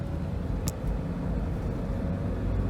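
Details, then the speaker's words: 2003 Pontiac Vibe driving after tune-up with oil cleaned from plug wells and new spark plugs, original coils kept: even steady engine drone under road noise, no sputter or misfire while accelerating; normal running. "I guess the coils were still good oh yeah wow I am so freakin impressed by this car it drives perfect now"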